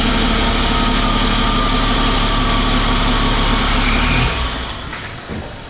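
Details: 1000 hp 6.7 Cummins Dodge Ram drag truck after retightening loose converter bolts, idling while warming up: deep, steady diesel idle with an even beat and no rattle or knock, settling quieter near the end; healthy running.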